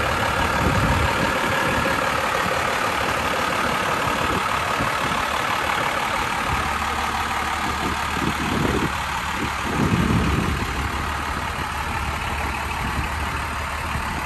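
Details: 1993 Dodge Ram W-350 4x4, 12-valve 5.9 Cummins intercooled diesel, automatic four-speed, 51,414 original miles, just started: rough clatter settles into an even low diesel throb; normal healthy idle.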